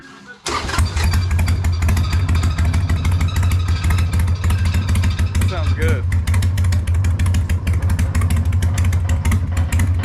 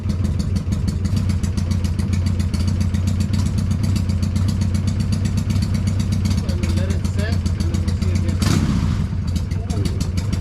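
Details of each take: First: Freshly built Hammer Performance 1250 Harley Sportster (ex-883), baffles removed, before 50-mile break-in: fires up into deep loping loud open idle, steady, no knock, making it shake; normal idle. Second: Freshly built Hammer Performance 1250 Harley Sportster (ex-883) during 30-40 second break-in warm-ups, no cam work: fast steady light ticking over lumpy twin idle; owner worries about oiling, cause unconfirmed; top-end ticking.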